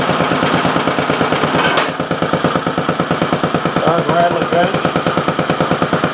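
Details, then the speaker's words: Briggs & Stratton Model A single with a temporary gas tank, after a broken-off intake manifold: steady, even chuffing at about three beats a second with a solid exhaust bark; running cleanly. "okay so I got three of the four model age running"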